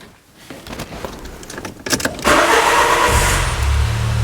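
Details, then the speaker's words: 2000 Peugeot Partner with a crank no-start, after the crank sensor was swapped for a cheaper ERA sensor in place of the Bosch one: a quick starter whir, then a clean catch and a smooth, even idle with no hesitation. "and absolutely no problem"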